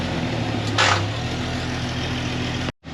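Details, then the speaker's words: 1999 Jeep Wrangler TJ Dana 35 rear diff after redoing the bearing job, Jeep on a jack with wheels spinning for the test: steady engine and driveline hum with no whine, howl or clunk from the axle. Sounds good, rear differential healthy. "It sounds good, I don't hear anything."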